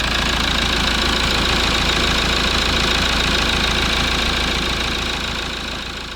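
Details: Rebuilt Toyota Land Cruiser Prado 1KD-FTV diesel warming up after rebuild, coolant being bled: steady, even idle clatter with a regular rhythm and no stumble or odd knock; engine running healthy.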